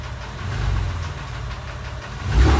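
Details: Porsche 996 3.4 flat-six, warm at tickover: light intermittent quick tick, absent at cold start, louder under load below 2500 rpm, fades above; oil pressure good, no warning lights; owner suspects exhaust manifold, tappet or piston slap.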